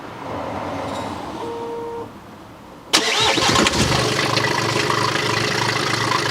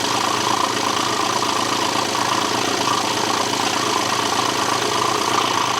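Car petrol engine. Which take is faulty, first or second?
second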